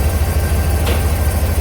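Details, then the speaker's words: 2006 Chevy 3500 dump truck 6.0L V8 idling during oil pressure test: steady even low rumble with no knocks, ticks or misses; healthy, tested oil pressure 42-45 psi while the dash gauge reads low. "And like I said, this motor doesn't tap. It sounds like a good running 6-liter."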